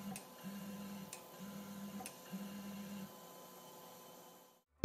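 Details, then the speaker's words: Ender 5 3D printer with MKS Gen L board and TMC2208 drivers in spreadCycle, homing noise test: three short even low hums under a second each, no grinding; normal stepper noise, between A4988 and stealthChop levels. "terms of noise I'd say about halfway between eight four nine eight eight and these same drivers in stealth mode"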